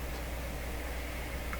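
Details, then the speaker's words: Grundig Satellit 800 radio with a faulty volume control potentiometer: a faint steady hiss with a low hum stays on the speaker at minimum volume, where it should be silent. Temporary grounding does not remove the hiss. "sure you heard that if I can hear you can hear it it's very low but it shouldn't be there at all"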